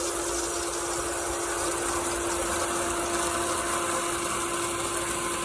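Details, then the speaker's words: Pentair sand filter pool pump with DIY pressure release valve: steady even rush of water with constant motor tone, no surging or gurgling; pump primed and running normally. "so it's starting to be prime so you gotta mix the air water"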